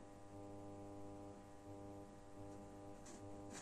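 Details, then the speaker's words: Genius 5.1 home theater system, subwoofer amplifier, heard from a satellite at minimum volume: steady loud mains hum with buzzy overtones on all channels. "now you can hear from the satellite it's a very very big noise the volume is at minimum"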